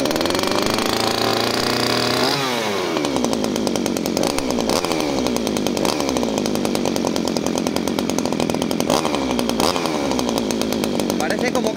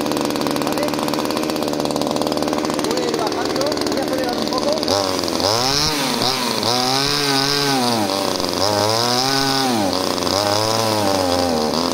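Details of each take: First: Two-stroke pruning chainsaw that stalls, started on choke after priming the bulb: revs keep sagging every couple of seconds then recover, never running smoothly; the engine is bogging and wants to die. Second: Subscriber's pruning chainsaw after lowering the idle screw and adjusting the low-speed screw: even two-stroke idle, then quick throttle blips climbing cleanly and dropping back without bogging; idles and revs properly, not yet tested under load.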